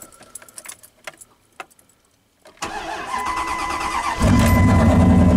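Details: Truck, not started for 2–3 days. A few quiet clicks, a short crank, and it catches at once, building to a steady, even idle with no stumble. A normal cold start.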